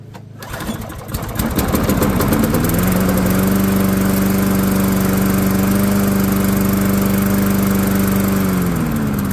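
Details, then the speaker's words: Dynamark lawnmower after its short throttle travel was bent back for more travel: short pull, catches within seconds and runs at a steady, even speed. Second start confirms normal starting and running. "So let me fire it up again, and let's see if it does fire up a second time. See, it does. It has more travel now."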